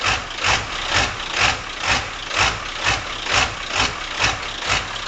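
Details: 1997 Ford Powerstroke diesel idling with a loping beat, surging about twice a second. Happens cold or warm in all temperatures and smooths with throttle. GPR, glow plugs, UVCH, MAP, CPS already replaced and FPR screen cleaned; cause still unknown.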